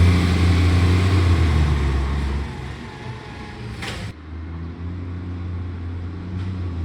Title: Millicent Commercial Garbage | SL01074 With A Mad Exhaust Leak |